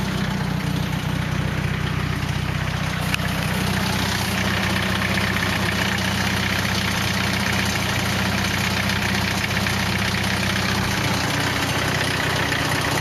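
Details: 240 KA-T engine at idle: a steady low idle with a faint uneven ticking in the later stretch; unidentified engine noise, cause suspected but not confirmed.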